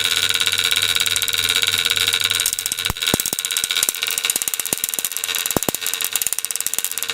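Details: Antique violet ray medical machine (design shown from 1893), argon-filled glass probe, arcing from the electrode: a harsh, high-pitched electric buzz with sharp crackling snaps as the coil fires properly.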